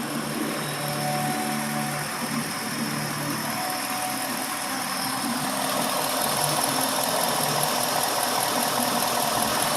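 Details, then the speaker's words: 2020 Ford F-150 5.0L revved after fixing the bank 2 exhaust VCT solenoid that caused a rattle on decel: smooth, even note rising with throttle, no solenoid rattle. Normal running after the fix. "well just all regular noise now no more like before so we're good that fixed it"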